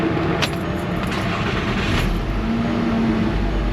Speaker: Got a nice little idle flare. Let this thing run a little bit and we'll probably take it for a drive.